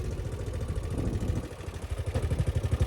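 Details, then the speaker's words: 2011 Gen 1 CFMOTO side-by-side, about 13 years old: rhythmic low thumps, pops and clunks, about four a second, growing louder as the drivetrain binds; stuck in four-wheel diff lock though the indicator shows it disengaged, causing torque steer. "I hear it popping and banging and clanging and popping some more. It's stuck."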